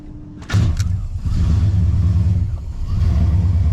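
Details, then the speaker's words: 496 big-block V8 with Holley Terminator system: deep, even rumble spinning up cleanly on each blip and settling back smoothly through a large muffler; sounds good, normal engine revving. "Ooh. That is American muscle. Don't get much better than a 496 big block. Sounds good, doesn't she?"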